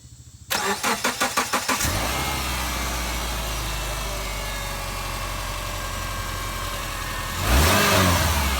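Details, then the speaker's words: 2005 Subaru Forester after redoing an incorrectly done timing belt job and reassembly: quick even cranking catches cleanly into a smooth steady idle, then a brief clean rev; normal start and idle. "All right, then. There it is. Running all done just like new, only better."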